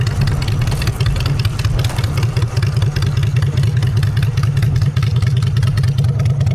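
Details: Honda Shadow V-twin with new custom exhaust pipes, on choke in neutral: deep, steady thump at a lumpy but even idle, no knocks or rattles; engine runs healthy, normal idle and revs.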